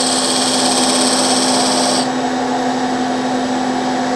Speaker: when those beads go from Flat Top to round you hear that sound I'm going to push it a little harder this time so you can maybe hear that vibration sound and feel it in the tool also